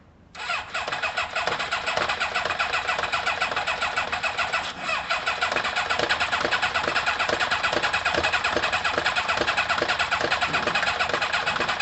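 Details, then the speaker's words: Kawasaki ZL600 motorcycle with new coils, tuned carbs and valves done: steady starter churn about two beats a second with no firing at all; cranks but won't start, leads in the wrong firing order. "no it's close close i'm gonna swap two and three [Laughter] i'm gonna swap one and four"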